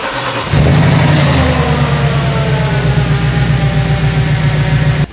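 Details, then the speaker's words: Warm 4.2L V8 Audi S4 with 130k miles and high oil consumption, started after a compression and leakdown test and new spark plugs: fires promptly and settles to a steady, even idle with no misses or ticks. "all right guys all we got to do now is get in the car start it up make sure we have no issues no cool leagues no nothing so let's do it"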